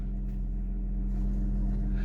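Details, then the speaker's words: Imported Toyota Soarer twin-turbo, 126,000 km, just started, no throttle: deep, smooth, steady hum with no misses or knocks; a clean, even idle, slight smoke from added oil. "listen to that amazing amazing i got no foot on the gas or anything look at that idol"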